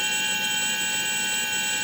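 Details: Model-airplane brushless motor driven by an ESC on an 11.1 V battery, STM32 Nucleo L476RG PI RPM controller at an early step of about 3,000 to 4,000 RPM: steady high whine with several clean even tones holding one pitch; normal.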